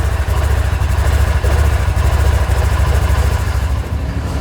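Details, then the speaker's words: Used 2-year-old Kubota RTV XT850 Sidekick gas engine just cold-started at about -30°C after a -40°C night: low even chugging idle with no stumbles or knocks, normal cold idle; about 10-15 minutes warm-up expected before use. "So as you can see, a gas engine, no issue at all. What we figured, you'd have to let it warm up for about 10-15 minutes, then you'd be good to use it."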